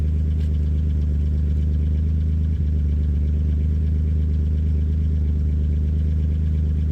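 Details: Chevrolet C1500 truck with 3100 V6 turbo, after fitting a new Flowmaster FlowFX muffler and 3-inch tailpipe; cold idle while checking welds for pinholes. Deep, steady, smooth exhaust drone with no ticking or puffing from leaks: normal exhaust idle.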